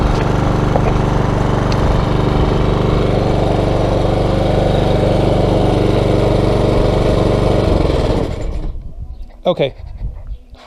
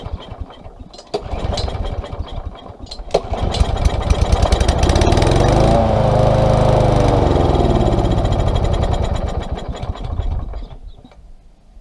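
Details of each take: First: Small single-cylinder mower engine, previously non-starting from stored fuel, after carburetor cleaner to dissolve varnish deposits: runs steady and even for eight seconds, then winds down cleanly at shutoff; normal running. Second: Small engine with no choke, stored with treated fuel left in it. Spark, compression and airflow are good. On starting spray it catches, revs unevenly and dies: fuel starvation, likely from a plugged carburetor jet.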